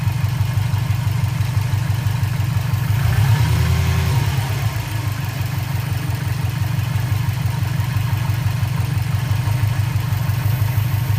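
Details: 2004 Subaru WRX stage 2, warm engine at idle, loud underhood recording; 150 psi compression, 5-10% leakdown, burns no oil, first suspected piston slap. Steady rumble with regular tick: exhaust leak from a cracked up-pipe flange.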